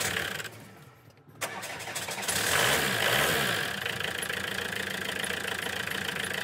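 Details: 417k-mile Renault 19 diesel after fitting replacement starter motor: quick crisp crank, starts instantly on the button, settling into even diesel clatter with no hesitation; normal start.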